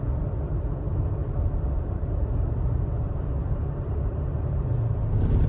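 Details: 3rd-gen Toyota Tacoma under light throttle: a deep, steady low rumble like rumble strips that disappears with more gas; torque converter shudder.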